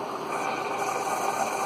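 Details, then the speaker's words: Keurig 2.0 K300, which had not been pumping, after cleaning its mechanical pump and tubes of coffee grounds and descaling with vinegar, brewing a 10 oz large cup before reassembly: steady even buzz with soft hiss, no rattles or stalls; normal brewing. "It's a large cup here, 10 ounces. You can hear it buzzing away."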